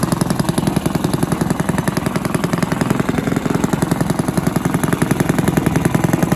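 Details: Villiers 10 petrol engine on an old Barford cement mixer, no choke, steady even single-cylinder chuffing about 160 a minute, no knocks or misses; compression not excellent, fuel seems to run through even with tap off; normal running.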